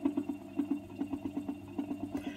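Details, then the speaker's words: 1960s Revox G36 MK III reel-to-reel tape recorder motor, previously seized and freed with oil: a low hum that wavers and throbs rather than running smooth. Owner suspects worn bearings; cause unconfirmed. "There's a little slight noise in the motor. I can hear it now."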